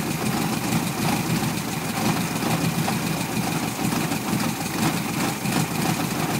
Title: 1973 VW Beetle rough idle